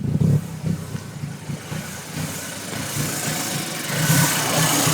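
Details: 2006 Audi B7 A4 2.0T rough idle: uneven, lumpy idle with irregular low pulses and background hiss; huge vacuum leak from faulty intake manifold gasket.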